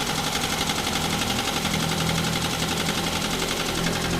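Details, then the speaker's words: Daihatsu Xenia 1300cc engine that ran out of oil through an unrepaired leak: rough idle and revving with heavy, uneven clatter through the whole engine; knock after oil starvation, engine must be torn down. "Oke, mobil Xenia ini suaranya udah parah banget, jadi mau ndak mau harus kita bongkar."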